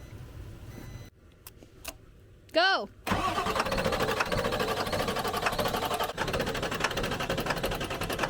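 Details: 1996 Ford F-350 diesel, 5-speed manual, run out of fuel, cranked on a jumper box after fitting new fuel filters: the starter churns steadily for seconds with no firing. Cranking no-start from fuel starvation with air in the system.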